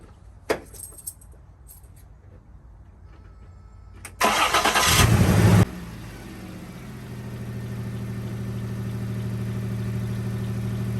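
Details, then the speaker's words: 1995 Toyota 4Runner 3.0 V6: the engine cranks, catches and settles into an uneven, lumpy idle, shaking violently from a misfire, with some belt squeak and exhaust leak also audible. "I got a little bit of belt squeak and exhaust leak, but it's just shaking violently. We got a misfire."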